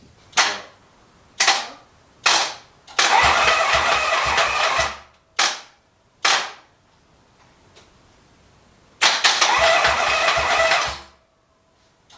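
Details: 1974 Harley-Davidson Ironhead chopper, fuel issue, spark already tested and bike rewired: repeated kicks give short coughs, twice catching about two seconds then stumbling and dying; hard starting, won't keep running.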